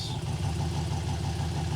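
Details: 1966 Corvette with a newly installed transmission, warming the transmission to check its level: steady low idle with no clunks or slipping as the selector goes through reverse, neutral and drive. The gearbox engages cleanly.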